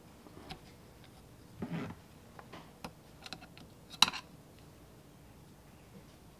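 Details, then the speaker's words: 1965 Allis Chalmers 645 loader, 6-cylinder Stanadyne injection pump cleaned and reassembled, turned by hand in a quiet room: faint tick-tick of rollers now kicking out freely; before cleaning they were seized and made no noise. Normal roller ticking. "So in there, those rollers are kicking out and doing their job, which before when you spun this, there was no noise at all. And so they were all just seized up and weren't working properly."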